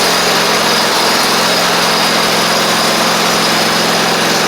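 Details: Toro Timecutter SW4200 riding mower with swapped-in 50-inch deck, after sharpening blades and fixing the fallen deck bracket: small engine running at steady, even speed with no knocks, misses or rattles; sounds healthy.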